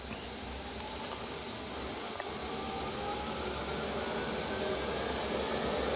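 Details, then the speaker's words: SportsTech F31 treadmill after replacing the cracked deck and lubricating the belt; even, steady whir from belt and motor with a soft airy hiss, no knocks, scraping or slapping; running smoothly. "you can hear it i don't remember if it's any noisier or quieter than the previous one but there it is"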